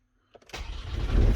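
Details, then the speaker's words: Van with intermittent starting, after fitting a new starter motor and reconnecting earth and fuse box wires: brief crank turns straight into a firm, steady diesel rumble on the first try; starts cleanly now. "Boom! Look at that. Absolutely perfect. There we go. Done. Boom. Van is now starting again."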